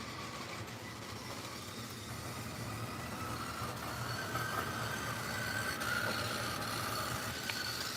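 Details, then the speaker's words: Model Yellowstone locomotive running on the layout, drive said to need fine-tuning and to sound like an RC car: a small motor whirs with uneven ticking, about three to four per second, rising as it speeds up, a rough, unhealthy-sounding drive. "Yellowstone locomotive sounds like an RC car. Yeah, it kind of does. Sounds quite unhealthy."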